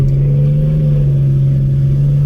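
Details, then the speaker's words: 2004 Ford Ranger after fuel pump replacement, previously idling rough: engine pulls under acceleration with a deep, steady exhaust drone, smooth with no misses or knocks; much more power than before. "if you can hear the exhaust, but it sounds good. It's got a lot more power than it did."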